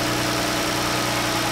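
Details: 2014 Jeep V6 at warm idle after replacing the faulty #5 fuel injector, spark plugs and intake plenum gaskets, having earlier had an injector misfire code: smooth, even hum with no misses, stumbles or ticks; engine runs cleanly, repair confirmed.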